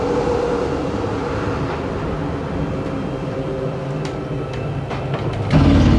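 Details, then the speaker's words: 2022 Jayco Pinnacle 36SSWS, slide-out extending: steady motor drone, then a louder grinding burst as it bottoms out; normal, signals the slide is fully out. "once you hear that grinding sound on this slide that's how you know it's all the way out let go of the button"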